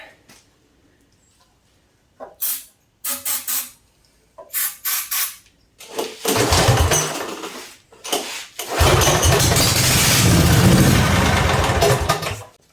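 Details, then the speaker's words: Briggs & Stratton 16 hp 479cc Vanguard V-twin for a go-kart swap, straight-piped, before carburetor cleaning: short cranking bursts, then two loud raw firing bursts on flammable spray that die away; dirty carburetor. "That is stupid loud. Sounds like a V twin. I love the sound of V twins"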